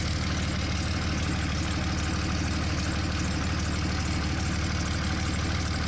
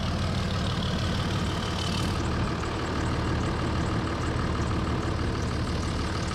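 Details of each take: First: 2003 Dodge Ram 5.9 Cummins diesel at idle just after HY35W turbo replacement: fast, even idle with a sharp puffing tick on each pulse, quite loud from a small exhaust leak at an unplugged manifold hole needing a plug. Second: 2003 Dodge Ram with 5.9 Cummins diesel at idle after replacing the HY35W turbo; even settled diesel clatter with a deep steady rumble, no surging or odd knocks; engine running healthy.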